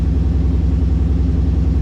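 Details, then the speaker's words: 2016 Mustang GT V8 with headers and full exhaust, cats just reinstalled, idling deep and loud with sharp puffing chuffs from an exhaust leak at a punctured muffler; slightly less raspy than before. "check for exhaust leaks [Music] I still hear of the obvious exhaust leak"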